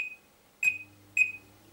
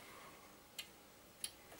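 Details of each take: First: Oven after a power cut, timer reset to factory default: three short high electronic beeps as timer is reset to manual mode, then faint low hum; red light now comes on. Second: Oven after a power cut, switched off and on: two sharp relay clicks but no red light, because the timer defaulted to time mode; oven will not heat until the timer is reset to manual.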